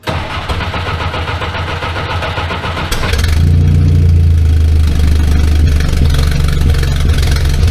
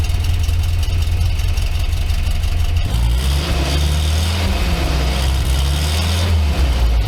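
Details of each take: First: 1964 Jeep CJ5 barn find, before muffler replacement: engine cranks, catches and settles into a loud, deep, raw rumbling idle with little damping from a blown-out muffler. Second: Barn-find 1964 Jeep CJ5 just after a new muffler was installed: loud, deep, steady exhaust burble at idle with a brief rev near three seconds, no rasp or leak puffs; normal exhaust note.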